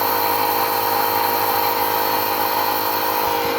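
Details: Steady high electric whine with an even buzz and no surging from a Fuelab fuel pump on a 1999 Nissan Frontier VG33E turbo as regulator pressure is raised to 30 psi, pump loading down slightly, target 43.5 psi; normal running.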